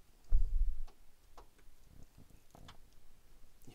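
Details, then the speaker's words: Mercedes W124 E-Class cabriolet top valve block: 12 volts applied across yellow-green and brown wires at soft-top controller, ignition off; faint sharp irregular clicks as rear bow lock release solenoid switches normally. "hear the solenoid clicking so we leave the 12 volts applied it's okay to leave 12 volts on there for like 10 minutes or so without overheating a solenoid"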